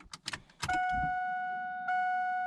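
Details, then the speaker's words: Key turned to run on a car with a newly wired Terminator X ECU tied into the stock key system: after a few clicks a steady mid-pitched electric hum holds as the fuel pump primes normally. "Okay, so that's putting it on run. You can hear the fuel pump kick on and everything."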